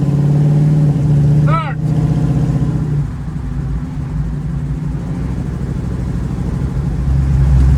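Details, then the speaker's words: 1936 Chevy coupe with small-block 350 V8 and TH350 automatic, driving after shifting into third: steady, fairly high drone, revving more than expected in top gear; owner suspects a gearbox fault or a very short rear diff ratio. "you can hear it's going into third but it seems to be revving really high so either there's something wrong with the gearbox or my rear diff is set up for drag racing or something"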